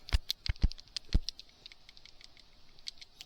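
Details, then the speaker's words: 39-year-old PCV valve from a 1985 Dodge Diplomat 318, shaken by hand after oil was found in the air filter, gives a quick, light clicking rattle, meaning it is free and working fine. "She rattles, which generally means she's good. How old is this thing? 39-year-old PVC valve seems to be operating perfectly fine."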